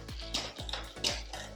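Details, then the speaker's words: Bicycle rear derailleur after threading the barrel adjuster clockwise to set cable tension: sharp, clean clicks about every quarter second as the chain drops down the cassette, each shift landing promptly without rattle; crisp shifting. "this is feeling good i'm the cassette yeah and crisp enough down the cassette all right"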